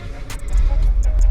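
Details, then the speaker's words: 1973 VW Bus air-cooled engine on test drive after repairs: low steady rumble with light cabin clicks, no knocking or misfire; oil pressure good, running cool, sounds healthy. "actually sounding really good that's looking okay oil pressure good running cool"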